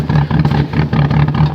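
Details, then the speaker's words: Chevy Cavalier cold start at 0°F, 6 a.m., car frozen, weak six-year-old Interstate battery: choppy lumpy idle with uneven pulses, rapping like a rotary; running very rough right after start, cause unclear. "does not want to let go take that sounds terrible sounds like a rotary rap rap rap rapping rotary Wow hey the worst I've heard it sound in a long time but it fired up"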